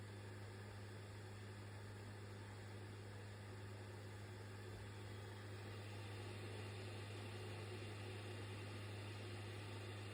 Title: PS5 buzzing noise when reading disc